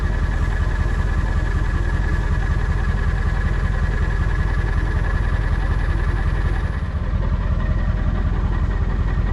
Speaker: Hope you can hear by that idle. We got a few missing injectors.